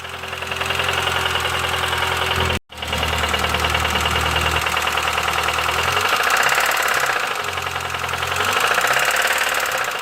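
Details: Petrol engine at idle: sharp metallic clatter ticking steadily at roughly three to four a second throughout; engine knock, source undetermined.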